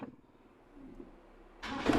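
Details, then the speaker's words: Car converted to run on petrol combined with LPG gas, with a vacuum-fed power jet, started cold after checks: brief quiet crank, then it catches at once and settles into an even run; normal, quick start. "Cesreng, bro. Cesreng. Sangat mudah."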